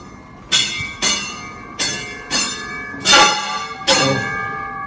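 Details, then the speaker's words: ProForm HIIT Trainer after a period of use: repeated metallic scraping strikes ringing like a bell each pedal stroke, flywheel rubbing its casing; second time repaired. "what happens is that after a period of use when you pedal on it it starts to do this it's this noise"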